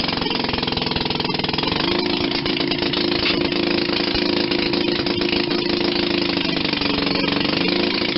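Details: 1940 Maytag model 72 twin-cylinder, air-cooled gas engine from a hanging washing machine, rebuilt with new rings and gaskets after being tight: quick, even putt-putt of about three beats a second, no knocks or misses. Normal idle.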